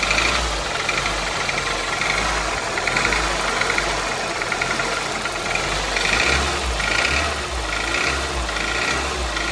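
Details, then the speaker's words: 2002 Toyota Corolla, about 110,000 miles, poorly maintained, cold: revving brings a fast metallic rattle and knock. A new chain tensioner did not help; owner suspects a stretched timing chain or worn rod bearings, not confirmed. "all right now to me it kind of sounds like it's a timing chain but I'm going to give her some revs here kind of tell me what you think"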